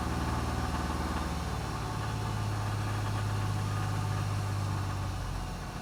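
Idle with a low rhythmic rattle, roughly four taps a second riding over the engine drone, a knock whose source is not yet known.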